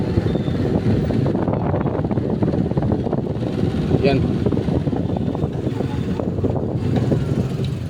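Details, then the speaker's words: Asahi stand fan that spins but is noisy, per owner: steady rough scraping drone under the whir, like something rubbing inside; worn motor bushing, bore likely enlarged. "Yan pag ganon busing yung problema pag ganyan maingay siya parang parang ganon parang may nagkakayod sa loob so pag ganon may problema yung bushing baka malaki na yung butas"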